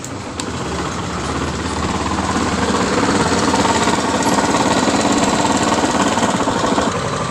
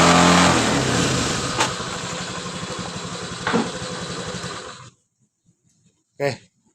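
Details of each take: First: 2019 Honda Scoopy idling with a hard rhythmic knock, about three or four beats a second, from the middle of the engine; mechanic suspects a worn connecting rod, not yet confirmed; rod and piston kit later replaced. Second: 2019 Honda Scoopy, first start after replacing the connecting rod and piston kit to cure a noise from the middle of the engine: it catches and runs a steady, even putter, then shuts off; smooth and healthy normal idle.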